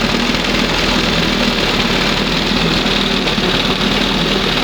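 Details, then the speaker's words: 1971 Johnson 20 hp two-stroke outboard after mixture screw backed in and stop screw reset, throttle at first mark: smooth, even idle with steady buzzy exhaust note and no misses; idles cleanly. "Wow. That's the best right there. Sounds much better. And it's down here, you know, it's idling."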